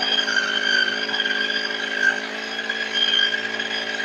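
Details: Two-stroke grass trimmer that would not start after long storage, now started: steady high even buzz with no misses or surges; running cleanly.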